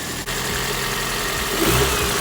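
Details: Car idling just after a cambelt and water pump replacement and a coolant refill with no leaks seen; steady even idle with a smooth hum, no knocks or squeals, engine healthy.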